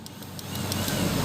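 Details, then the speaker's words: MX (old model) whose cooling fan won't run when hot, fan circuit jumpered for testing: light regular relay ticking over a soft fan whir spinning up; relay and fan both work normally. "kedengaran suaranya Oke sama-sama kalau saya jumper disini terus kipas langsung mutar di sini ada bunyi cetak cetek artinya di dua komponen ini bagus ya relay dan kipas bagus"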